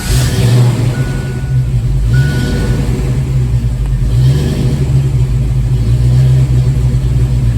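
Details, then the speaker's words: 1987 Mustang GT with crank no-start when warm: warm V8 idles with a slight rise and fall over a few seconds, mild idle surge; starts more easily, improvement but not confirmed fixed. "all right so that's definitely an improvement start it up again fairly easily and just a little bit of idle surge and not even as dramatic"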